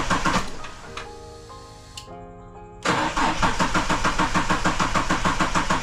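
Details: EL Ford Falcon XR6 Turbo that had died on the road; after fuel pump relay jump and repair, fuel pump primed. Quiet with a chime, then the engine catches cleanly and settles into a steady, even idle: normal crank and start.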